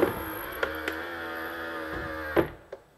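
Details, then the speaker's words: BMW X1 E84 folding exterior mirror a few days after spraying oil into the gaps: smooth even motor hum about two seconds ending in a soft clunk, no squeak; the earlier squeaking is gone and the motor no longer strains. "quietscht nichts mehr und das ganze klappt wieder wunderbar und der Motor ist nicht mehr so gequält wie er vorher war"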